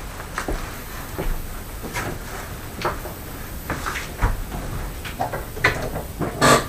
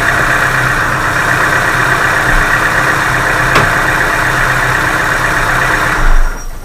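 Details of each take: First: Chevrolet Aveo, 1.5 engine, cold start on a late-November morning: fast, sharp metallic hydraulic lifter ticking, loud for the first seconds, then quieter, disappearing as the engine warms up. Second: Chevrolet Aveo 1.5 engine on a cold late-November morning, after warm-up: hydraulic lifter knock heard at cold start has gone, leaving a smooth steady idle hum with no top-end ticking; lifter check ball seated or lifter refilled with oil.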